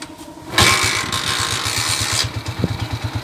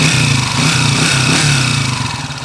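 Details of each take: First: TMX155 single-cylinder motorcycle after overhaul for engine noise and noisy third gear: starts on one kick, settles into a steady, even idle thump. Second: TMX155 motorcycle engine running: loud, harsh steady high whine from worn gears; third gear is noisy and will be replaced, and the number one timing gear is also noisy.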